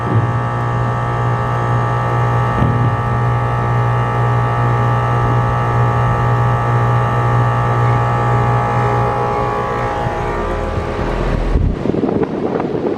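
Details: AC condenser on a no-cooling call, restarted after adding a hard start; compressor rated 19.9 A, fan about 1–1.2 A. Steady even compressor hum with constant fan drone, no rattles or chatter: normal running.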